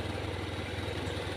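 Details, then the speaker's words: Honda Scoopy scooter with no ignition or electrics, cause a blown fuse; running again after fix, small single-cylinder engine ticking over at steady even beat, no misses or knocks; idling normally. "dah hidup kembali Jadi tinggal kita ganti secriknya hidup Guys ya"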